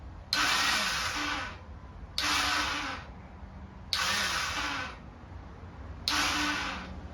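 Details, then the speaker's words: Chinese ATV quad after rewiring, plastics and handlebars off, brake engaged, electrical check; battery hooked up backwards gives four harsh hissing buzz bursts about a second long, engine not catching; reverse battery polarity noise. "If you ever hook up the battery backwards, you'll get that noise. Probably gonna have to replace the fuse after this."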